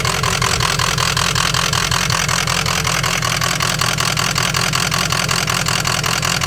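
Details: Ford 6.0 Powerstroke diesel at idle: diesel clatter with an uneven, lumpy pulse of about three beats a second. Owner suspects a bad ICP sensor; unconfirmed.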